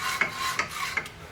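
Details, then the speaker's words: 2014 Subaru Crosstrek rear hub after a rear wheel bearing replacement: rhythmic dry scraping about every 0.4 s as the hub turns. The backing plate, bent during hub removal, rubs the rotor. "This pad I boogered up a little bit with the chisel, so I'm gonna hit it with a file. Yeah. Now the backing plate's rubbing."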